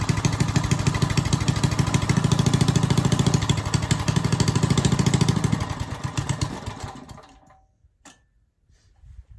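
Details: Old Briggs & Stratton single-cylinder after its coil was replaced with one from another old Briggs & Stratton, cold weather, choke-assisted, no kill switch: steady popping beat for several seconds, then dying away; runs again, the new coil fixed it.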